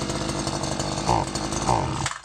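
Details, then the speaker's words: Stihl FS 94 R two-stroke single-cylinder air-cooled line trimmer needing carburettor adjustment: it buzzes unevenly and surges for two seconds, then dies; it stalls after starting and won't rev. "as you can see once it starts it just stalls I'll do this all day long"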